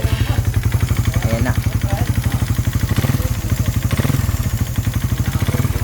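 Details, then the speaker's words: Raider 150 Fi, connecting rod replaced at a previous teardown, then run hard with an open pipe at New Year and now noisy again: rough idle with a heavy, fast, uneven clatter through every firing stroke, loudest low down; piston slap, before teardown. "Ang lala. Talagang slap."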